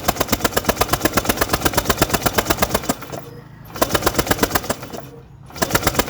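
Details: Honda PCX150i scooter that won't start after sitting a long time, battery charged. Quick, even starter chugging at about five beats a second in two bursts with pauses, never catching. The plug shows spark; the cause is not yet found.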